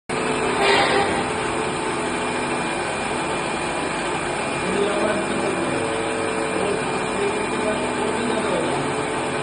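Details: RO water purifier high-pressure pump motor: rough, gritty whirr with wavering tones; damaged motor bearings.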